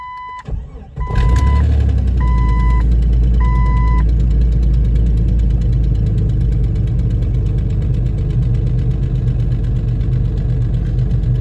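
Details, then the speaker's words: Jeep Cherokee 4.0 cold start: chimes, quick crank, then loud cold idle with uneven tick around three or four per second; owner believes exhaust manifold gasket leak and exhaust rattling, not engine locking. "It almost sounds like the engine's locking, but it's not. It's the exhaust manifold gasket, I believe. And just the exhaust rattling around."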